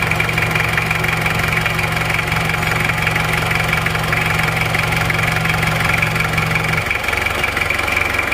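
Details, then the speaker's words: Diesel engine at idle after rebuild with new rings and NPR liners, no longer smoking: smooth even diesel idle with steady low hum settling lower, clean running with no knock or miss, normal diesel idle. "teman-teman suaranya bersih ya suaranya seperti ini"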